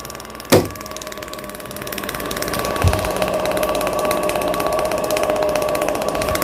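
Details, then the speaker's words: Newly wired motor test-run through breaker to check rotation direction: switch-on thump, then clean steady hum building evenly to speed; turned in the intended forward direction on the first try, running normally. "정방향 맞았잖아요. 정방향. 예? 정방향이 맞았어. 단번에 방향이 맞았어."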